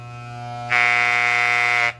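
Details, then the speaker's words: Soling Barber Pro Chrome hair clipper, finger resistance applied at blade corner near right-side adjustment screw: low steady hum jumps to loud harsh buzz under load, then falls back; blade tension misadjusted, would stall on thick, curly hair. "ela tá fazendo barulho. Então quer dizer que se eu for cortar um cabelo crespo, um cabelo cacheado, ou enfim, um cabelo que ele seja mais espesso, mais grosso, ela vai travar, ela vai fazer esse barulho e ela vai travar."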